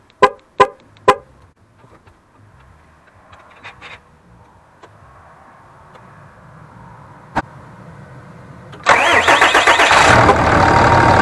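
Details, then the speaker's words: Dodge Ram 6.7L diesel started to check for leaks after an Evil Energy fuel rail plug install, unprimed since the high-pressure side wasn't opened: catches at once into a steady, even diesel clatter with no stumbling; normal start. "So I'm just going to go ahead, crank it, start it, and hopefully it's good"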